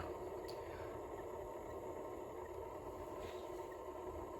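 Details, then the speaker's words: Early-1970s Rheem Califone AV80 mono cassette player, with play working but fast forward and rewind dead: a loud whirring motor hum with faint squeaks. Owner suspects a worn belt and a need for lubrication. "and I can hear some squeaking as well so I probably will need to replace the belts obviously uh the belt and I'm probably going to get need to give everything a good lubrication"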